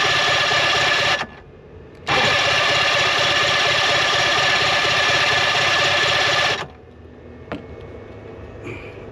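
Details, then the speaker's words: 1966 Evinrude Playmate boat engine with fuel pump on, flooding: two long bursts of starter cranking, about one and four seconds, with no firing; carburetor floats not dropping, carburetor rebuild planned. "like we're going to be rebuilding the carburetors cuz these floats aren't dropping"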